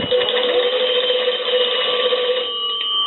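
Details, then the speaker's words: Kellogg cathedral-top wooden wall crank telephone after repairs to the bell circuit and magneto crank: steady, bright bell ringing while the magneto is cranked. The magneto is generating properly and the bell rings normally. "I want to go ahead and ring the bell there"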